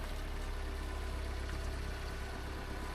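Low, smooth idle pulse holding steady with no knocks, ticks or stumbles; a healthy small petrol engine at rest.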